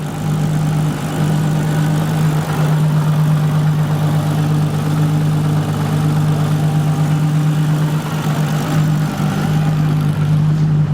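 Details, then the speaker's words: VW Golf MK4 R32 twin turbo on a new ECU, after wiring a proper accelerator pedal to it: deep, steady idle with slight unevenness, not perfect but much better than before; it idles oddly again when revved. "there we go now it's not perfect but it's a lot lot better listen to that happy"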